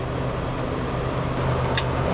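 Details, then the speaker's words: Dixie Narco 432-246-6 soda machine, not working for 9 years, with a replacement cooling deck just installed and powered on: low steady hum with even evaporator fan rush, no rattles, clicks or knocks; normal refrigeration running. "There she is. Sounds nice. Evaporator fan on."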